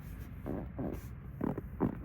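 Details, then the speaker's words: 2025 Toyota Camry XSE at 20,000 miles, driver's side door panel armrest pressed down: four short dry creaks like plastic trim flexing, felt as well as heard; cause not confirmed, no known remedy. Armrest creak. "Hopefully you guys can hear that creaking noise. It gets pretty annoying when I'm putting my elbow on it, because you can also feel it, not just hear it."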